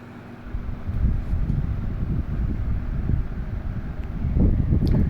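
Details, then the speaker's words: Lasko WeatherShield box fan, bought in 2017 and still working, running on low speed: soft, steady airy rush over a low rumble with no ticking, rubbing or wobble; quiet, normal running. "is pretty quiet."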